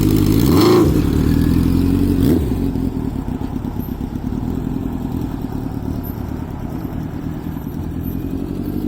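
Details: Honda CB900F 16-valve inline four. Starter whirr, then the engine catches and settles into a smooth, even idle after a quick blip. Normal start and revving.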